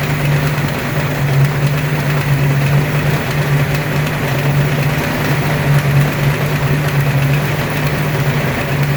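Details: Ford 302 5.0 V8, never run before, idling: deep steady rumble with faint uneven tapping; internal noise persists with belts off and is unchanged pulling each plug wire; owner suspects piston slap, broken wrist pin, timing chain or torque converter area, unconfirmed.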